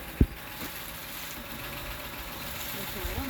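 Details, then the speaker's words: 2007 Honda Odyssey 3.5 at idle after replacing stabilizer (sway) bar bushings that caused a loud noise when turning: wheel turned both ways gives a low even idle with one brief tap, no clunks or creaks; zero noise, repair fixed it. "Dale para acá. Dale para allá. Cero ruido."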